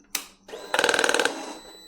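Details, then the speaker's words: 2004 Kawasaki ZX6R 636 with a persistent FI light, exhaust valve servo: at key-on a half-second whirring buzz with rapid clicks. Owner suspects the servo is hitting the end of its travel; a Servo Buddy is planned. "Okay, so I guess it's reset. Okay. So, it sounds like it's it's the end of its travel if we can undo it and see if that helps in any way."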